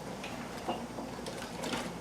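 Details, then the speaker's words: 1959 Brother Flairmatic sewing machine, oiled, on a treadle: quiet light ticking of the mechanism with soft feed taps, smooth and quiet; normal running. "So I've got this on my treadle at the moment, just to show you how amazingly quiet and smooth this machine is."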